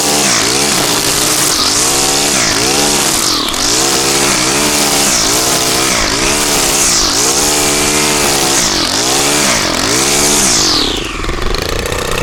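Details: Stihl trimmer after cleaning carbon off the spark arrestor screen with a propane torch: screams at high steady revs, dipping and recovering about every second as it cuts weeds, clean and strong; normal full-throttle running.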